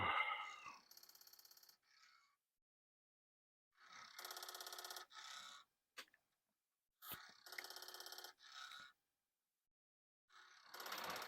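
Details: Commodore 1541 disk drive that moves its head but won't spin, disk inserted, at power-on: bursts of harsh ratcheting chatter, each about a second with pauses, as it tries to load; board or mechanism fault not yet isolated.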